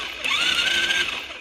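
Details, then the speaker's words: Chinese 110cc quad (ATV) with a botched wiring harness: the starter whirs up quickly and spins the engine freely when a loose wire touches the battery positive, which solves the starting issue; the spark fault is still unresolved. "as you can see when this wire touches the the positive connection with the battery then it cranks over so that's uh that's one thing we found"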